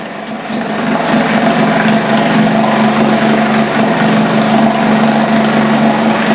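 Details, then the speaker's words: Yamaha F4 four-stroke outboard idle nearly a decade, started after a few pulls to refill it with fuel, carb gasket and starter still missing: even, steady high idle with constant tone, no knocks or misses; runs normally. "Ett par drag för att få bensinen tillbaka till förgasaren. Och den startade!"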